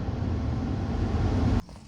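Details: Nissan Primera P12 cold start at about -3 to -4°C with the blower at full, AC and rear demister on: steady, even low rumble under the blower roar, with no knocks or misses. A healthy cold idle.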